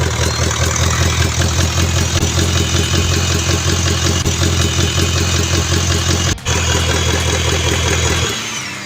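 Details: 2012 Toyota Land Cruiser with a no-start fault, started by direct starter test during starter relay and fuse diagnosis: engine fires and settles into a steady, even, deep smooth idle before shutting off; the 30A main fuse was later found faulty.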